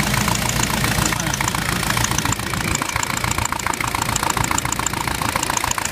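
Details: Jeep with VM Motori 2.5TD diesel at idle: a sharp, fairly regular tapping about three to four times a second over the diesel clatter; engine knock, cause unknown.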